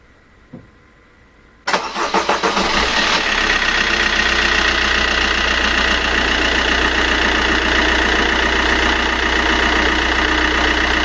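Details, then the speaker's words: 1.3 diesel with a new timing chain, cold start: short crank, fires and settles within two seconds into a steady, even idle with no chain rattle; healthy cold start. "rumore catena distribuzione nuova, avvio a freddo"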